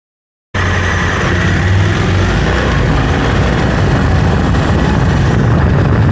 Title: Close up of Africa Twin CRF 1100l noise when accelerating